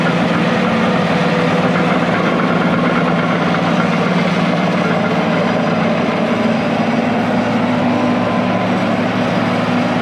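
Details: International IH 175C track loader diesel, sat a long time, freshly serviced with fluids and filters changed, first run outside the shop: deep, even idle with steady unchanging beat, no knocks or misses; normal healthy idle.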